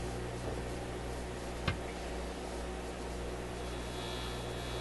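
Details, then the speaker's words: RCA A24 antique vacuum tube radio during alignment, dialing toward 1500 kilocycles after setting 600: steady low mains hum with faint hiss, no program audio, sounds empty, signal disappearing as if tuned out of operating range; hum with no signal, cause unknown. "Ooh. Does that ever sound empty? Sounds like an empty radio. I wonder what happened here. It's almost as if we tuned out of a range within which the radio can operate."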